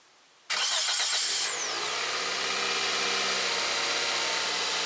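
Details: 2006 Toyota Corolla after starter replacement and battery clamp tightened: brief crank, engine catches at once and settles into a steady, even idle with no grinding or misfire; normal start and idle.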